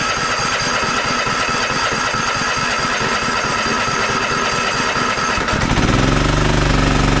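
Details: Toro TimeCutter MX4200 74765 zero-turn, had smoked and died off choke; on fresh ethanol-free fuel with fuel lines refitted: even thumping beat about four a second, clean lift in speed holding steady off choke; runs sound, earlier cause unknown.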